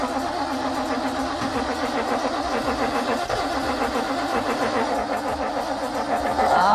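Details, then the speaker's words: 1964 Ford Galaxie 390 V8 junkyard car, weak spark: cranks, catches and fires unevenly for a few seconds on sprayed carb cleaner, then fades out, starving with no fuel supply; wants to run. "Oh, that was fire. It's gonna happen. Wants to run."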